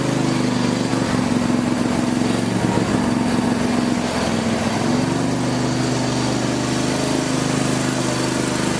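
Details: Craftsman lawn tractor after no-start repair with new carburetor parts including float needle valve, idle over a year, full gas tank: single-cylinder engine at steady throttle, constant buzzy drone, no misses or knocks; normal running.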